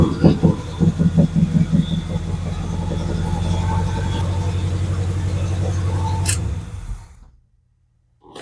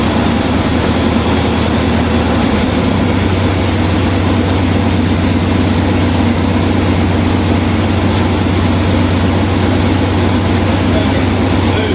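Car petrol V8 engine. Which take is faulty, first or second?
first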